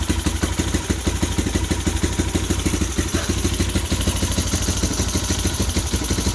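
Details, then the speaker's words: 2015 Bashan Storm 250 ATV, first start with choke fully on, booster box and low fuel: even, quick put-put beat at choked idle, no clacking from the top end, healthy exhaust; normal idle. "don't hear no clacking from the engine sounds good sounds nice and healthy from the exhaust"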